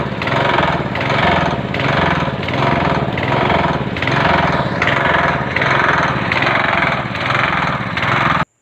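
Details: Chinese 6.5 hp gasoline engine: speed rises and falls a bit more than once a second, never holding steady; mechanic says only the carburetor needs fixing, to be cleaned.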